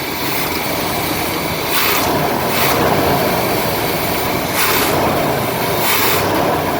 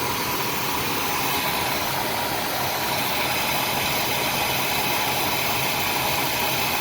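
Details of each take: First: RV with 454 engine, warm, throttle blipped after replacing leaking carburetor gasket: sharp bursts of rough noise, slight backfire on acceleration, though smoother than before, especially at idle, with no rpm drop. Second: Older RV with 454 engine after work on the worn carburetor gasket, not fully warmed up: steady, even idle with smooth hum, no popping or stumbling, only slight backfire, far less than before; normal idle.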